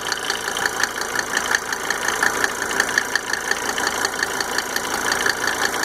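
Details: Mercedes 300D W124 2.5 L diesel idling after installing five newly rebuilt injectors with Monark nozzles: sharp light steady ticking over even idle clatter; cause of tick undetermined.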